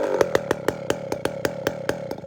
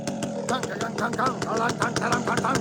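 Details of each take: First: Chainsaw just fitted with a walkerized muffler, low-jet tuning problem: firing pops slowing from about seven to five a second and fading as it dies off idle; stalls from rich low-speed mixture after the muffler change. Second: Chainsaw being tuned on the low jet (low-speed mixture), running a slow, even two-stroke burble at a super low idle that holds steady without hunting; a fat low jet would load up and stall. Normal low idle.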